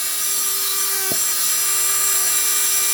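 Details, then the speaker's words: 1987 Porsche 944S 16-valve, used engine, fuel pump bench-tested on direct power: steady mid-pitched electric hum over hissy background, slight up-and-down; pump runs but may be weak, possibly from a kinked fuel hose. "kind of up and down it sounds all right but it could be a little weak and also could have been the kink in that we'll change it anyways"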